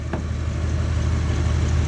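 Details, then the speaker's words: 1970 Dodge D-100 barn-find V8 with swapped carburetor: even, steady low idle rumble with no misses or knocks, running on all eight cylinders, confirmed by even exhaust temperatures on a digital thermometer. "I like to make sure that it's running on all eight I mean by ear you can tell but it comes in handy to have one of these so you hear a little mist and you're not sure turn it on"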